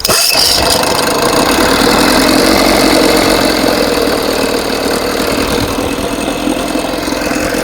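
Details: 1980 Evinrude 4.5 hp two-stroke outboard, cold start: loud uneven stumbling buzz; runs with fuel valve shut, floods when opened, owner suspects stuck needle. Found a broken pulse-tube diaphragm, carb rebuilt and float adjusted; carburetor flooding, rough running.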